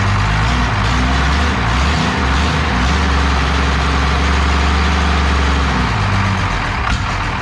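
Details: 12-valve Cummins diesel on an engine stand out of the truck, first start after a rebuild for glazed cylinders (very low mileage, cause unknown; deglazed). Deep, steady clatter at even idle with no knocks, misses or surges; the fresh rebuild sounds healthy.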